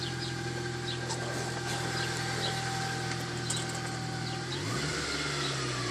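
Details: Dodge Caliber SRT4 on the first cold startup of the day: a steady high whine over the idling petrol engine that shifts pitch as revs change.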